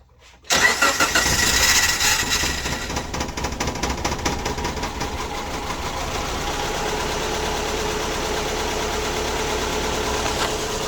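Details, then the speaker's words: Subaru Impreza with P0301, P0303 misfire codes and P0038 after swapping coils on cylinders one and three: lumpy, uneven idle with an irregular stumble every few beats; still misfiring, though slightly better. "it's still missing clearly but but it's better"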